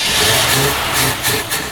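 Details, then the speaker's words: 1972 Chevrolet C10 Cheyenne, original numbers-matching 350 V8 (rebuilt), probably unrun about a year and a half, battery and a little fuel added; catches with ragged firing, sags and dies within two seconds, won't stick; just barely getting fuel. "It's just barely starting to get a little fuel in there."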